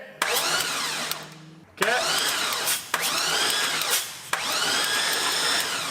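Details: 1985 Chevrolet crew cab dually with an LS engine, sat over two years after fuel problems. Short, roughly one-second bursts of starter whine with no firing between them: it cranks but won't start.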